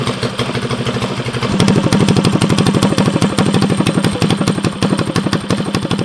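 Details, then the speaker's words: Custom drag mini bike with a Tillotson Stage 4 engine on its first break-in start, open pipe, very loud: a fast, even single-cylinder thump with no misses or clatter. A healthy idle, to be run about 20 minutes before an oil change. "all right break in start of the stage four engine can we go ahead make sure she got gas it's definitely loud yeah"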